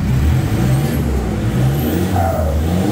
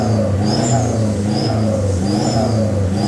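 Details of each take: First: Toyota Fortuner VNT turbo diesel, full-set exhaust without resonator, after replacing worn-out tailpipe with 3-inch one: deep exhaust rumble swelling with revs, smooth, no metallic rattle; normal exhaust note. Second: Toyota Fortuner VNT turbo diesel, newly fitted full-set exhaust without resonator, revved: high whistle rising and falling with engine speed over deep diesel note, plus metal-on-metal sound; whistle suspected built in by previous owner.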